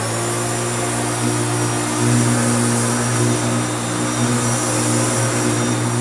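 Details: Restored Hoover Turbopower U2724 upright vacuum, little-used, after refurbishment, powered up: steady high motor whir with a hum underneath and faint airy rush, even with no rattles; normal running.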